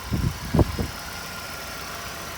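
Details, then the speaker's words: Vauxhall Omega started from stone cold, not pre-warmed: a few bumps at start, then a smooth, even idle with steady note, no misses or knocks, no warning lights or smoke; healthy cold start. "has got a super nice even idle."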